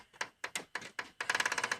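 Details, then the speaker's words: Xbox One disc drive loading a game disc: sharp dry clicks, spaced then a rapid rattling run, as the disc jams and gets stuck until ejected; console reportedly had been dropped. "clicks and it makes a clicking noise and get stuck in there and then I press the eject button"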